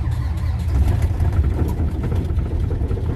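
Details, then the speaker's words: Diesel semi truck just started around midnight at 4 degrees. Deep rumble with uneven, lumpy pulses as it struggles to stay running in the cold, rough running right after the start before it settles. "Damn. And it's struggling to stay on. There we go."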